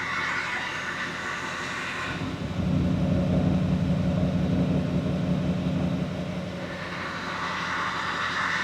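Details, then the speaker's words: 2006 GMC Sierra LBZ Duramax diesel, 470,000 miles, P003A, low power until 2nd gear; running while the variable-geometry turbo vanes are commanded, a low drone swells and fades as stuck, carbon-fouled vanes strain to move. "you can hear the veins it's trying to move it it's starting to move so it may free up"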